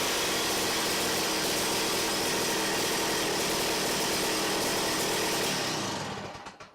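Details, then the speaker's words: Ice auger two-stroke engine after carburetor clean, mixture screw turned a quarter turn clockwise: loud buzzy note held smoothly at high revs, then dies away cleanly on release; revs up properly, idle adjustment still to come. Normal revving. "she seems like she might go a little faster and she should know I'm not supposed to do that it's supposed to rev up like that that's what I like alright so it sounds like it runs pretty good there"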